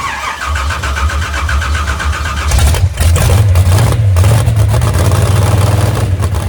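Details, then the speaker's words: Moonshiner V8 truck at its first start in 10 months, after an overhaul following a crash: it cranks and catches into a loud, lumpy, uneven idle with irregular thumps; rough running. "That sounds like a 12 gauge in my ear hole, though. Yeah, we didn't have that. We didn't have that noise. No, we didn't have it. Now we have it."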